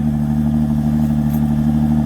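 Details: Jeep Grand Cherokee Limited X V6 cold start at about 20-something degrees: even, steady low hum with constant tone and no ticking or knocking; healthy cold idle.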